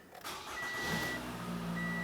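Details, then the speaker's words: 2012-2017 Toyota Camry after fuel tank replacement, fuel pump primed three times with the key on: a brief crank, then it starts right up and settles into a smooth, even idle. "You can hear the fuel pump run if you're in a quiet environment."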